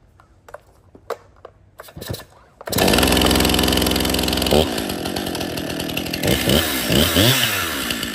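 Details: Stihl MS261 50cc M-Tronic chainsaw after full service, new fuel solenoid, air filter, fuel filter, spark plug, bar and chain: a few pulls, then catches with fast even rev and crisp throttle blips; starts, runs and oils well.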